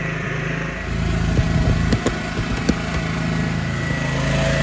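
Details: Kodiak 5500 W generator (Honda-type) with a dual-fuel propane/gas carburetor fitted last summer, started cold with choke during an ice-storm power outage: catches within a second and settles into a steady even drone, no misses or knocks; normal cold start and idle.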